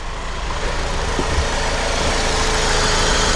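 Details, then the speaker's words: Vandalized Saturn started without keys after security bypass and shorted wire fixed, cold morning: steady even idle with smooth settled rumble, no misses or knocks, running way smoother; normal idle. "All right. Well, that's running way smoother."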